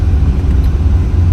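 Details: 1978 Corvette C3 25th Anniversary Edition at the start of a test drive: the engine fires right up and settles straight into a steady, even low burble with no misses or knocks. A healthy V8 idle.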